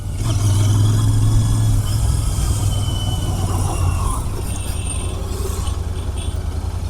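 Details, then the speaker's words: Royal Enfield Interceptor 650 at about 5000 km, after its second service and wash: an uneven, stumbling exhaust beat with dropped pulses while riding, a misfire the owner attributes to water at the spark plug after washing; the plug was removed. "वही problem थी पानी चलेगी यार कोई missing की problem है"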